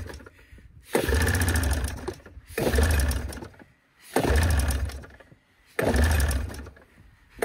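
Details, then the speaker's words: Arctic Cat Cougar 500 snowmobile, probably a 1987, with a Suzuki two-stroke, long sitting, gas poured into the carbs: it surges about every 1.5 seconds, then dies back and never holds revs. It won't take throttle. "oh she won't take any throttle got get this thing dragged up that way when she starts I can just really rev it"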